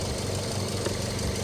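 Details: 2012 Toyota Yaris idling with headlights and AC on, new reman alternator after an undercharging original (12.4 V): steady, even low idle with no belt squeal or stumble. Now charging 13.8 V under load, healthy.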